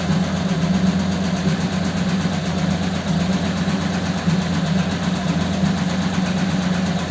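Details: Ford 8BA flathead V8 with Richard's Holley 94 carb on another truck, before a road test: steady, even low idle with a smooth rumble and no misses or knocks.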